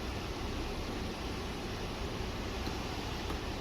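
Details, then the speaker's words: Car AC system not blowing cold, blower on high while cycling feet, defrost and face vent modes: steady rushing air, no rattles or squeals, airflow sound changes as mode doors move; blower and mode doors working normally. "We want to make sure the doors work, and you can even hear the difference of the airflow when you're doing"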